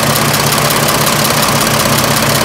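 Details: 1926 Oakland engine, back running after 75 years, warm idle with fan spinning near the water pump shaft: even steady idle, low smooth beat, no irregular knocks; healthy and settled.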